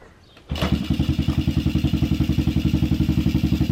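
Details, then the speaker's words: Pit bike, first kick start after carb cleaning and new fuel filter, mixture screws not yet adjusted: catches after short crank, slow slightly uneven thump near four beats a second; idle too low, owner plans to tune. "so the idle is a bit low so i'm definitely going to tune it up"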